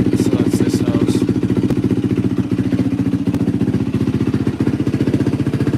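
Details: 2004 Yamaha WR450F after carburetor rebuild, pilot screw 2 turns out; crisp even single-cylinder thump at steady idle about three and a half beats a second, no stumbling: healthy.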